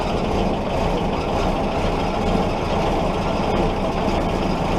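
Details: Willys Jeep L-134 Go Devil four-cylinder, after 35+ years sitting, clutch in: first run on its own without starter fluid, rough, busy but continuous idle with no obvious knock.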